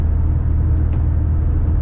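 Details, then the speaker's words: Subaru Forester with modified, loud exhaust while driving: deep steady low drone under road rumble, no misfire or knock; engine runs evenly, pipe not yet tack welded. "I'm probably gonna tack weld it on that would make me feel better so you know I'll do that eventually probably not and you know the little bit of drone is not too bad it's"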